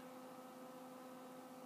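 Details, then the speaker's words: Z-Tech Lt. Kernal Commodore 64 hard drive powered back on: only faint steady cooling-fan hum, no spindle whir or head seek; disk never spins up, cause unknown. "for the moment turn this back on and listen to the cooling fan"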